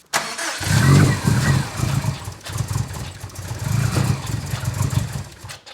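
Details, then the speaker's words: 2015-2020 Subaru STI 500 WHP build, first start attempt: starter chugs about three pulses a second but never catches; tune expects different MAP sensor; crank no-start. "Huh? I didn't tell him the map sensor. What's that? I didn't tell him that it has a different map sensor on it."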